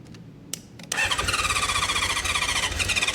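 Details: 1976 Honda CB550 four parked 48 years, carb cleaner sprayed into the intakes before the carbs are removed: a few cranking clicks, then a ragged fast burble firing only on the spray.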